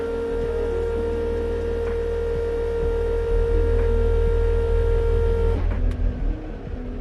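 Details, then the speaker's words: Mitsubishi Evo 8 after sitting seven to eight years, fuel pump and rusted tank cleaned: electric pump whine primes about five seconds then cuts out abruptly; intermittent priming, suspected poor contact at the pump connector, wires or terminals. "so we found the issue it kind of does sound like the connectors or the wires or maybe the terminals are not getting good contact when i push the plug down and then kind of like move it around just to get it like good contact and then you can hear the fuel pump priming which is weird"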